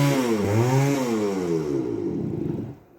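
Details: 1978 Kawasaki KE100 two-stroke, first start with a new carburetor, on choke: buzzy engine fires, revs up sharply and falls back evenly; running cleanly.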